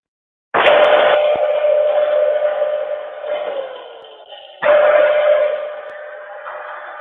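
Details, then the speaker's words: Table saw electric motor during rebuild, spinning up twice with steady hum and dry gritty rasp fading on coast-down; shot, grinding motor bearing. "yeah that from bearing shot in here grinding"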